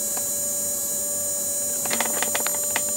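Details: Polaroid Polar Pulse flat alkaline flashlight battery from about 1997, found dead, charging about an hour: constant mid-pitched electrical buzz with faint clicks, steady and unchanging; charger relay chattering normally.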